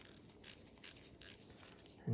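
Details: Craftsman 43784 ratchet after cleaning and regreasing, worked back and forth to spread grease on the gear teeth: light, crisp clicks in short runs about every half second, even and clean with no grinding; normal ratchet clicking.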